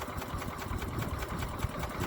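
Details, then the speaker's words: 1981 Westwood Gazelle W11 ride-on mower, tired engine low on compression, warmed up after winter storage; slow, uneven chuffing at a faltering idle, close to stalling; the idle speed is set too low. "it's on idle now probably just about to conk out maybe got the idol a touch low"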